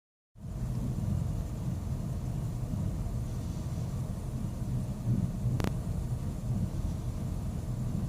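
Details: 2001 Mazda Tribute with a low, uneven rough idle that surges and drops, with one brief click; the IAC, EGR valve, fuel filter, air filter and PCV valve were already replaced.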